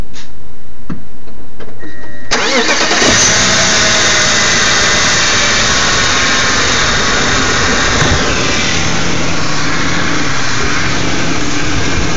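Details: BMW E39 528i: short crank, engine catches and settles into loping uneven idle pulsing three to four times a second; rough idle.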